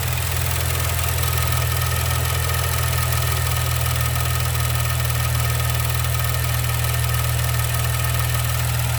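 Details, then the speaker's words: Maserati Ghibli SQ4 at idle after start, hood open: steady idle with light, quick ticking, the normal sound of the high pressure fuel pump under its soundproof cover. "you'll have your high pressure fuel pump that's what's making that noise"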